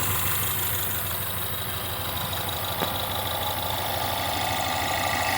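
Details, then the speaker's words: 2016 Ford Mustang 2.3 EcoBoost, 128,572 miles, poorly installed replacement engine with reused intake and turbo: lumpy, loping idle, engine shaking hard, flashing check engine light for misfire; cracked turbo inlet pipe also found. "Look at how it's flashing, which means it's misfiring. This thing is shaking bad."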